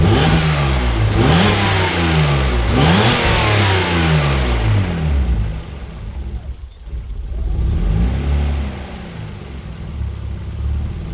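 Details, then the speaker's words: Mazda KL-DE 2.5 V6 swap out of diagnostic mode, ECU holding idle around spec: sharp throttle blips, revs drop to even low idle with slight stumble on the way down, no stall; normal idle. "okay so the system is maintaining the idle within spec that air screw I don't care where it is as long as it's idling properly"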